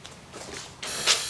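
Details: Sea-Doo GTX DI, idling low at about 1250 rpm against a 1450 spec, air injector activated with a Can-Do Pro diagnostic tool: a short, sharp, high-pitched buzzing tick shows this injector firing normally.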